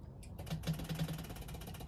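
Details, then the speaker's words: Rolls-Royce Silver Cloud electric fuel pump bench-run from a power supply after its points were cleaned, pump level with output line: a click at switch-on, then steady rapid ticking of about fifteen per second as the points cycle; normal fuel pump operation. "so you can hear the frame oscillating and get an idea of about how much flow is coming out of there"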